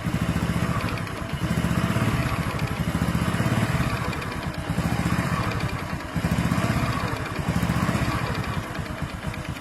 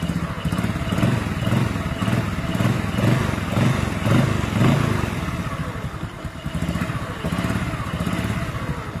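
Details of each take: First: Honda Supra X5/Karisma 125 motorcycle with a new NPP piston block. When cold, a light tek-tek tick rides each firing pulse at low idle rpm and vanishes when revved or warm: a loose piston (piston slap). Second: 125 motorcycle, cold engine, with new NPP cylinder block and Vario 125 piston fitted to cure cold tapping like a loose piston: steady, even idle with no ticking over the exhaust beat; normal cold idle after repair.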